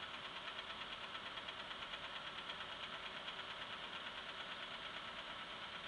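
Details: Engine at idle with a light regular knock, roughly two per second, over a steady idle; the cause is not stated.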